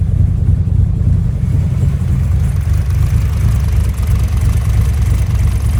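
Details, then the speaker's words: Nissan S13 Silvia after fuel pumps were done: a deep, even rumble with a steady beat and no knocks or misses. The engine is idling normally. "Shout out to Matt who come over and help me um helped me get it started. Basically did all this, got all the fuel pumps done, turned it on and it ran and it ran really well."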